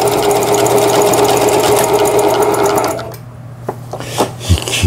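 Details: Singer Stylist 7258 (110 V) after repair of the feed regulation cam crank and the reverse button, with the lower shaft not yet assembled, sewing overlock stitch 19: a quick, steady, even whir that stops cleanly, sewing smoothly.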